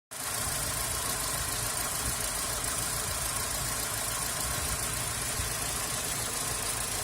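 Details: 2001 Hyundai Accent 1.3L G4EA idling during vacuum testing at purge-valve hose: uneven lumpy low thrum under a loud steady hiss; rough idle, no problems at cruising.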